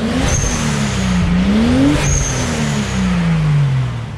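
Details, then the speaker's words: Toyota Supra MK3 7M-GTE with fully built bottom end, mostly stock, first drive: two clean throttle blips sweeping up and down with a crisp exhaust note and no misfire; sounds good front and back, but idles high at 1300 rpm (TPS suspected). "well guys she sounds good out the front and she sounds good out the back"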